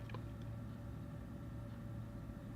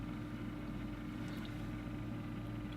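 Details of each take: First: Old 3Com fibre-optic backbone network switch in a padded cabinet under a workbench: steady low drone with a faint fixed whine, its cooling fans still incredibly noisy. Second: Two cooling fans in an old 3Com network switch, wired in series to run at half speed: low, steady hum with a soft even tone and no rattle or whine; the fans run quietly and smoothly.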